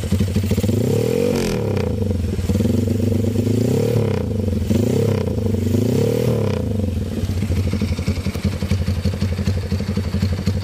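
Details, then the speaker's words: Honda CB with new PE 33 Jumbo carburetor, quick throttle blips: revs rise cleanly and drop straight back to steady idle, no bog or rich burble; crisp throttle response. "Langsung bukaan gas itu langsung hor, nyaut pokoknya bolo, gak ono ngoke."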